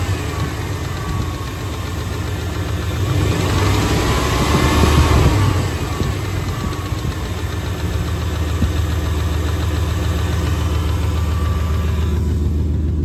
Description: Just put this engine from a 96 gmc truck into my 89 (supposedly a good engine) to replace the v6 and it has this noise at idle. It comes and goes.